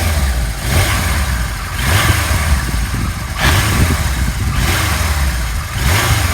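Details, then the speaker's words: 1977 Kawasaki KZ1000A four-cylinder, engine slightly warm, no choke, fuel on reserve, on the center stand: repeated blips from idle rise and fall smoothly, with no knocks, rattles or misses, and no smoke. Healthy revving. "Not smoking. So I'm going to take her down off the center stand. The motor sounds nice."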